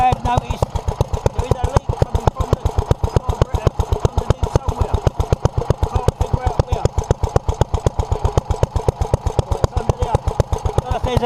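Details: 1947 Petter A2 single-cylinder engine running after its Zenith 24T2 carburettor was stripped, ultrasonically cleaned and refitted and the fuel pipes replaced: steady, even firing about four beats a second with a deep thump and no misses, though fuel still leaks from under the carburettor.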